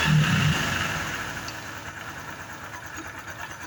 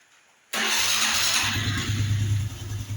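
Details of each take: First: Honda Biz 110i that is hard to start cold and won't hold idle until hot, fuel pump pressure correct, no error codes: an uneven idle with a heavy, loose, rod-like knock about three a second before it cuts out; worn camshaft bearing. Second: Honda Biz 110i after head removal, valve carbon cleaning and lapping (had low compression, wouldn't idle when cold): catches instantly and settles into a steady even idle without ticking or knocking; normal start and idle, problem fixed.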